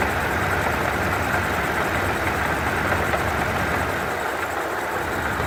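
Hood-open idle with a rough rattly grind in the upper range, like marbles tumbling, coming from the supercharger rather than the engine.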